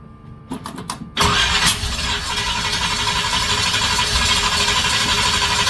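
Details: Chevy 350 small-block V8 in a Toyota Land Cruiser HJ75 Troopy, after head and rocker work: a few clicks, then steady cranking about three beats a second with no firing; plug leads fitted counterclockwise on a clockwise distributor, also explaining the backfire.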